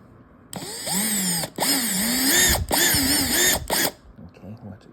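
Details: Worn T15 Torx driver bit in a drill skipping out of a screw head: high motor whine in four choppy bursts with dipping, wavering pitch as the bit slips, unlike a good bit; bit needs replacing.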